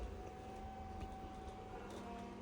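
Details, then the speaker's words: Burstner Ixeo Time It 590 motorhome electric drop-down bed, key-operated, raised all the way up until it stops: low steady hum with faint constant whine, no grinding or labouring; bed lift motor normal. "when you got these electric drop down beds I always like to show them working properly just go all the way up until it stops"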